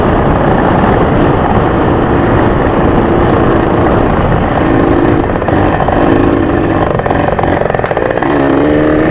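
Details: Junkyard Yamaha PW80 two-stroke dirt bike after rebuild with carb kit and Boyesen reeds, on break-in ride: loud, rough, labouring drone never climbing cleanly under throttle, bogging so only first and second gear usable; owner suspects fuel mixture or vacuum leak.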